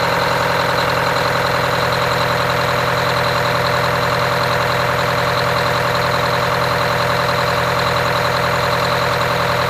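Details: Wanderlodge RV bus, Detroit Diesel 8V92TA after four new pistons and liners, started for first test drive: steady, even idle with busy mechanical clatter, no misses or knocks. Normal idle.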